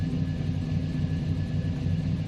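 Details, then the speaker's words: 1981 Chevy Malibu, Gen IV 5.3L LS swap with aftermarket cam, idling: deep, loping idle with an uneven low thump, a little lumpier; healthy cammed V8. "if you hear it it's got a little bit of a lumpier"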